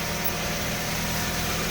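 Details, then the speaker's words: Exhaust heat shield rattle after a rusted exhaust flange leak was repaired without welding: steady idle, exhaust now quieter, with a thin metallic buzz from a loose heat shield against the pipe, later secured with a stainless hose clamp. "Something's rattling a little bit. I think it's the heat shield under there, but it sure sounds better."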